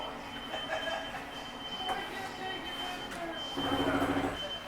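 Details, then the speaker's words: Catalina Destination 33FKDS travel trailer rear bedroom slide-out extending: steady motor hum, then a short buzzy grind near the end of travel as the slide stops itself; normal. "little grinding noise it's okay to hear it's just a slide keeping itself from going out too far"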